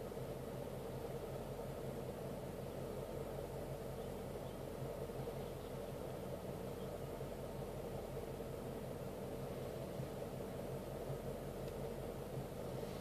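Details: 2012 Mustang GT V8 idling: a low, slightly uneven pulse over a steady hum; a mild rough idle is suspected but not clearly pronounced.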